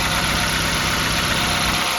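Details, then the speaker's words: 2000 Nissan B15 (Sentra) after service: oil and filter change, iridium spark plugs replacing regular ones, head cover gasket cleaned and resealed. Engine not yet up to temperature; smooth, even purring idle with steady RPM, no misses, ticks or knocks. "start it right up and she sounds like a dream come listen to this she curs yo she is purring"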